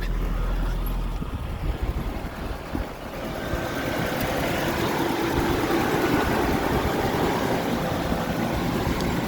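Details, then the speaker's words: 1989 Nissan D21 4x4 pickup, four-cylinder (not the V6), manual 5-speed, just started before warm-up; soft, very quiet idle with no knocking or ticking; owner says they usually get noisier once warm; healthy. "Very quiet. Usually after they warm up, they get a little noisier."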